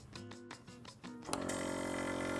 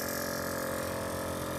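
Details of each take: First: VIAIR 444C air-ride compressor on bolt-on isolator feet: steady, even buzzing hum at about 72 dB, normal running; similar to the VIAIR 310 Stealth Series and quieter than a hard-mounted 444C. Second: VIAIR 444c air ride compressor hard-mounted with wood screws in a trunk setup: loud, steady motor drone with strong hum and buzzing, about 76–77 dB, much louder than the VIAIR 310 Stealth Series.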